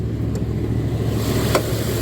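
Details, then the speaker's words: 1999 Dodge Durango SLT, sat 14 years, after restart during transmission service: smooth steady low hum, no misses, but idle sits high and climbs (around 1500-1600 rpm); throttle not stuck, owner about to read codes. "In fact, it's higher idle. And it's even higher now."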